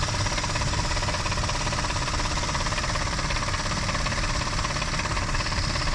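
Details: Mitsubishi Pajero Sport 6B31 engine at steady idle: a loose, uneven knocking at roughly two beats a second with some ticking over the engine note. Owner points to the intake flaps (throttle/runner valves) as the source. Cause suspected, not confirmed.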